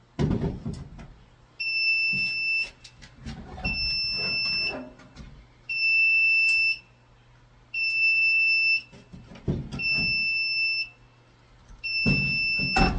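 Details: Apartment fire alarm panel before its old backup batteries, with a nearly corroded terminal, are replaced: a high two-tone beep of about one second repeats every two seconds over clatter. This is the panel's power-trouble fault from the failing batteries.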